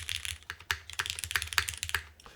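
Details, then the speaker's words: KBDFans TOFU TKL with Cherry MX2A switches, case screws loosened or removed: crisp clacky keystrokes, internal thud almost completely gone; sounds clean and tight. "mean, that sounds damn good. Like, that did remove some of the muddiness Like, or I shouldn't say muddiness. It's more of a thud on the inside, which it's almost gone now completely."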